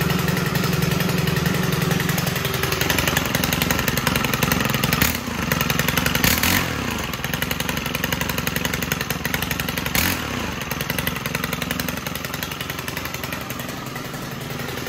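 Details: Stihl FS130R 4-Mix four-stroke trimmer on mixed gas, after valve adjustment fixed hard pull-starting: crisp, even buzz settling into steady idle with a couple of brief throttle blips; healthy.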